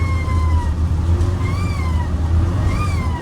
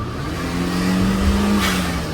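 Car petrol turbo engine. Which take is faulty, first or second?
first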